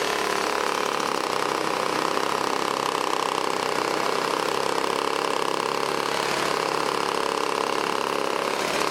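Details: 1980s Toro S-200 snowblower, a small two-stroke, started and leaned back to clear out: a steady, even buzz with no surging, sputtering or knocking. Running healthy.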